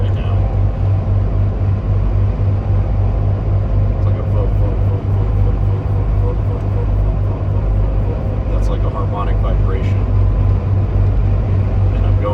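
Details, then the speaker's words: Ineos Grenadier with front double-cardan 1350 driveshaft, eighth gear under load around 69-72 mph: deep steady droning boom under road rumble; driveline harmonic vibration, owner suspects transfer case/differential ratio timing; shaft itself balanced. "so it causes that uh harmonic vibration uh the shaft itself is perfectly balanced um so it's not that it goes away uh when you take your foot off the pedal"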